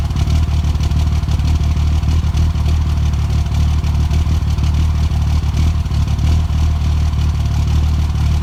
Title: Cold start misfire